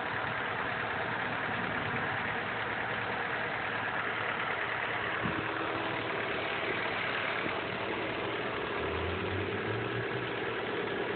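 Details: Honda Prelude petrol engine idling steadily with a light, fast ticking mixed into its even running; owner does not know the cause.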